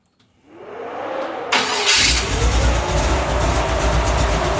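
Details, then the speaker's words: Chassis-swap 4x4 with big cam (293/311 duration) and stock torque converter: brief crank, fires and settles into choppy thumping loping idle; big cam mismatched with stock converter. "I don't know if you can hear it, but you see how that cam's thumping and chopping? Yeah. That cam and a stock torque converter are not happy together right now, and I'll tell you what it does."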